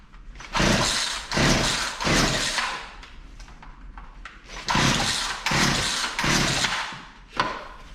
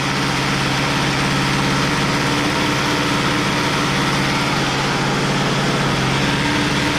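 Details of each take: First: Poulan Pro P3416 34cc 16-inch chainsaw, found abandoned, new spark plug and carb cleaner sprayed in, choked: repeated rasping rope pulls about one a second with no firing; cranking, no start, spark later confirmed present. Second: Poulan Pro P3416 34cc 16-inch chainsaw, abandoned, revived with new Champion plug and idle screw adjustment; plug gap likely too closed: even, steady buzzing two-stroke note, no misses or surging; running cleanly.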